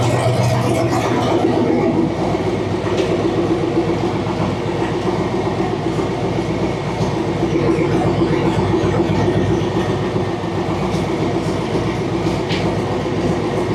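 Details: Used engine newly installed in a Ford Model A sedan, first run after being hosed off and dried out: even, steady chuffing beat with no knocks or misses; idles smoothly and sounds healthy.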